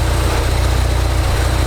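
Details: Ford Focus RS idling after a fuel filter change: smooth, even low rumble with a steady fast pulse, no misses or knocks. Clean normal idle, no leaks found.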